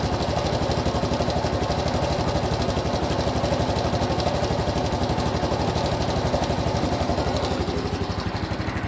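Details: Honda Cub Pro small single revving, abnormal engine noise after an oil change meant to fix it: a steady fast pulse of about four a second with an odd rough clatter over it. Cause undetermined.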